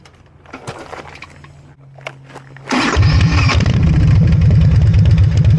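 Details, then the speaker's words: Harley-Davidson V-twin with electronic ignition and a Typhoon carburetor, after timing set and carb mixture adjusted: quiet, then catches into a strong, even lope about four beats a second, clean and responsive; normal running. "And this thing is really responsive with the Typhoon on it. So, uh, I'm really happy with the way it runs."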